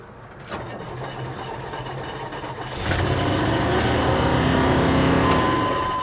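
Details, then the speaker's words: At salvage auction, 99,000 miles, damaged, starts and runs with a fast regular ticking slap about three to four per second; cooling fan striking the radiator. "She does run. But yeah, like I said, the fan sounds like it's into the radiator."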